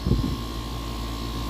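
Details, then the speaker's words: New A2L-refrigerant AC unit after install: steady even low hum with faint constant tone, no knocks or rattles, cooling and behaving like 410A; normal running. "But yeah, it's definitely cooling, you know, it's acting like 410A."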